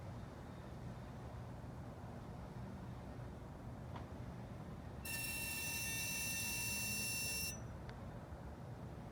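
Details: 2016 Dodge Challenger parked in a garage with engine off after a short drive: a sharp high electronic whine switches on for about two seconds then cuts off. Key fob intermittently failed to lock or start; owner suspects fob battery. Source unknown.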